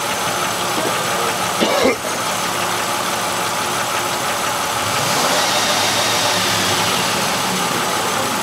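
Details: 1996 Buick Century 3100 engine with P0300 random misfire code, uneven idle with a recurring stumble in the exhaust beat; cylinder five misfiring from a sticking-closed Multec 2 fuel injector (no-fuel misfire).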